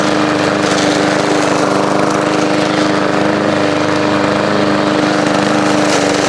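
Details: After repair on an old push lawn mower, fresh oil, primed and started in hot weather, mowing grass: a steady, even drone with a constant hum, no misses or hunting under cutting load. It mowed well and runs healthy.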